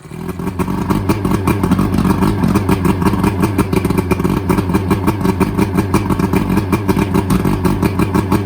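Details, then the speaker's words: Outboard from a sunk boat after draining gas and water and adding good fuel: it runs with a quick, fairly steady low putter of about three beats a second, no stumbling; running normally. "We've got the bad fuel out, got some good fuel going into it now. It cranked up, ran for about a minute."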